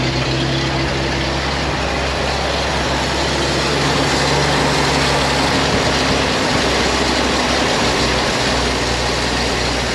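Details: 1956 GMC 630 fire truck, 503 straight-six, running on fuel primed into the carburetor after being rescued off a farm: rough but steady heavy idle with an even low beat and no knocking. The engine is running fine.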